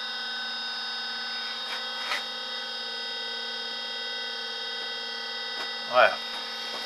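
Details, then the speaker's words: Levoit LV600HH hybrid ultrasonic humidifier running and misting: steady buzzy whirring drone with a hard edge from the internal fan, caked with white calcium buildup; oiling the fan eliminated the noise. "all right and it is kind of working so it is it is making lots of mist but it's making a racket in there"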